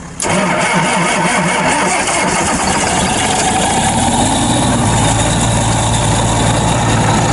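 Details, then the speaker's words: Machine after warming a couple of hours, still below freezing: brief crank, it fires right up with smoke, no jumper cables or ether, then a steady, even diesel idle with no misfire; normal cold start. "it's amazing what a couple hours will'll do on a machine like that when it warms up we're still below freezing right now but you saw it smoked no jumper cables no ether no nothing fired right up"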